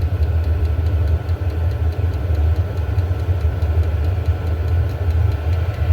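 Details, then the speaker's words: Diesel heater after teardown and deep soot clean (owner unsure if mixed fuel or just maintenance caused failure); quick regular pump ticks over steady low rumble, getting hot, pump slowing after startup; running normally. "It is getting hot. Now the pump's slowing down after it started up."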